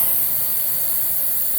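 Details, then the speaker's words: Miele H1 Swing (Quick Step) stick/upright vacuum, suction test: steady high airy hiss over motor rush as air leaks past the open bag indicator, preventing a full seal. "so yep now the indicator is open makes it a little bit hard to engage at suction when you can't get a full seal"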